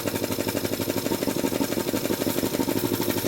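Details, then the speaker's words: Jenny K-style 2 hp air compressor pump builds to about 50 psi, then the pilot valve, clogged with oil debris, won't unload the head, causing rapid machine-gun chatter about three beats a second; short cycling from a failed pilot valve. "Okay, now the machine's actually trying to unload the head, but due to debris trapped in the pilot valve, it's not allowing the head to unload. We call this short cycling. Kind of sounds like a machine gun."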